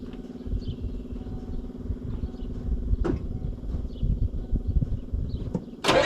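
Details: 1994 Ford crew cab diesel, newly acquired project, sprayed with starting fluid: slow, steady starter churn for about six seconds with a stray pop and no catch. Hard start; owner suspects a weakening battery and unknown fuel supply, may pop off the fuel filter.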